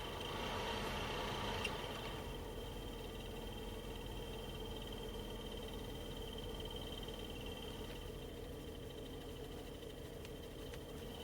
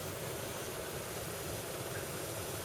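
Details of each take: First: 2012 BMW X5 E70, 106,080 miles, HVAC blower motor at low blower speed: steady fan rush with faint regular chirp, stops with blower off; dry bearings, fixed by re-lubricating both bearings with 30W oil. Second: 2012 BMW X5 E70 with 106,080 miles: the HVAC blower runs on low as a steady, soft, whisper-quiet whir with no chirp. Before, it chirped at low speed; both motor bearings were re-lubricated with 30W oil.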